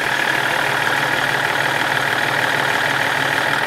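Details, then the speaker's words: BMW 330d restarted after head gasket work: loud, steady diesel clatter with an even beat and no knocks or misses. Idles well. "Et elle tourne plutôt bien."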